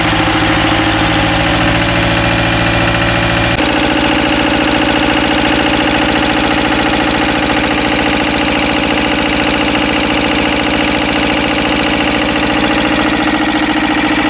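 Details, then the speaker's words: Ruggerini twin-cylinder air-cooled vertical-shaft diesel in a Westwood lawn tractor, previously hydrolocked, running after new starter motor and fresh gaskets: dense, even diesel clatter at a steady beat, speed stepping up after a few seconds; runs smoothly, normal running. "So as you saw, I did check the oil level between idling it for a couple of minutes and actually driving it and revving it up."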